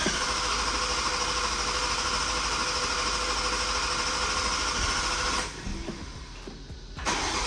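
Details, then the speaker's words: Toyota MKV Supra on its first start after an engine rebuild: engine catches and runs with an uneven stumbling beat instead of smooth idle, a misfire still to be diagnosed; no smoke. "All right, progress. A little bit. I gotta figure out your misfire."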